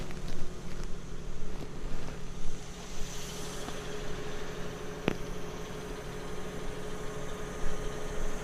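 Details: Newly installed shop air compressor heard from about 3 feet and then farther away; fairly quiet steady low even hum with soft chugging underneath; running normally.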